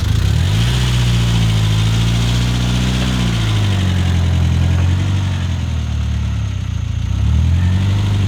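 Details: Mitsubishi Eclipse GS-T 4G63 DSM first start after replacing a head gasket blown by overheating, with the brake-booster vacuum leak fixed: idle revs drift gently up and down, earlier loud ticking sounds improved; normal idle.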